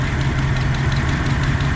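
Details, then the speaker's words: 1994 Dodge Dakota V8 at cold start just after a new oil pump, pickup tube and oil filter: light rapid valvetrain ticking over the idle rumble before oil pressure builds, then easing to a fainter tick. "Now that's the sound the ticking sound from before. Let's see if it clears up as the oil pumps up."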